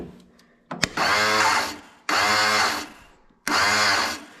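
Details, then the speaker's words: Exmark Quest zero-turn mower, fairly new aftermarket (non-OEM Briggs) starter with its gear stripped, solenoid contacts jumped: three short bursts of high free whirring with no engine turnover, the starter spinning without engaging; the jammed gear is suspected to have blown a fuse. "And you can hear it's just spinning the starter. So, what I'm thinking happened is when that gear got jammed up in there, maybe it blew a fuse."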